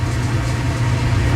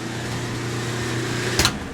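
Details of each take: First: Clothes dryer running with door open while the heating element glows cherry red then cuts off, owner suspects element or thermostat: even low drum rumble with no thumping, slapping or squeal; belt drive runs smoothly. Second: Dryer set to dry after clothes stayed wet: motor hums steadily about a second and a half, then loose knocks and rattles; motor spinning freely because the drum belt is broken.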